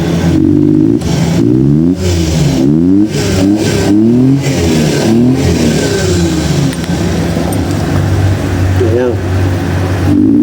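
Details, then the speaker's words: Multicab small petrol engine revved in quick clean blips, dropping back to steady idle, after retiming the distributor; previously would not start and had no power because distributor timing was off. "Kaya ngayon tiniming ko muna. Subukan na natin. Yan power na siya."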